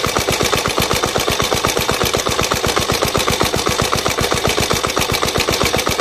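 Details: Jebel 125/200 single-cylinder at idle: a sharp, rapid, even top-end clatter on every beat; suspected tappet noise, cause unconfirmed.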